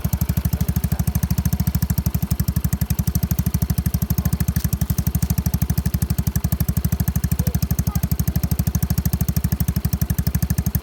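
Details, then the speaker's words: Yamaha Mio scooter with replaced engine, new battery, fresh fuel, idling after start: low, regular single-cylinder putter about three beats a second, steady with no knocks or misses; healthy normal idle. "ับใบทัดสีแดงนะครับเพิ่งเบิกนะครับใครไม่ซื้อกูก็เบิกใส่เรื่อยๆครับเพราะว่านมาเครื่องเปลี่ยนใหม่นะครับรถคันนี้เครื่องดีมากครับบนเป็นแบบดีอ่าเดี๋ยวสตาร์ทเครื่องให้ฟังครับ"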